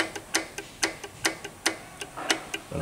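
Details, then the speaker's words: Audi 1.8 TFSI turbo with code P0016 (intake cam timing out of phase), engine weak and misfiring; with chain removed, the intake camshaft rocked by hand gives sharp metallic clacks from excessive adjuster free play; the exhaust cam is fine; intake camshaft needs replacing. "infelizmente comando de admissão foi para o saco muita folga excessiva tá vendo ó"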